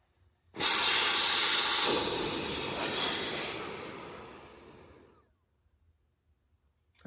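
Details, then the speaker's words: New, never-run Fortress 27-gallon 200 PSI oil-free vertical compressor (Harbor Freight) during unboxing. A sharp hiss fades to silence over about four seconds as leftover tank air bleeds out through the opened drain valve. "All right, so for some reason I have not turned this on yet, but it seems it has a little bit of air. You can hear it."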